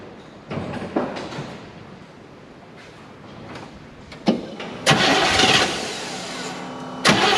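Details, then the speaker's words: Chevy Nova Super Sport with a replacement distributor, vacuum gauge on and ports plugged; timing may need readjusting. Short, uneven cranking bursts cut out and restart while the engine barely catches. Sticking starter causes the hard start; owner goes to smack the starter. "happens see what i mean about the starter okay oh we'll be back see if i can get it started or not okay i'm going down to smack the starter"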